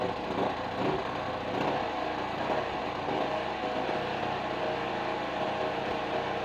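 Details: Sumura ET2500C generator, engine not yet warm, being repaired for no 220V output: constant busy engine drone with slight speed waver; running properly, expected to stabilise once hot.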